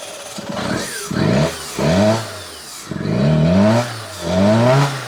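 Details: 1999 Fiat Panda 4x4, 1.1 FIRE fuel-injected, de-turboed back to standard, 230 psi compression on all four cylinders. Revs surge and sag about once a second, barely holding idle; the owner thinks it is missing cylinders and overfueling. Cause unknown.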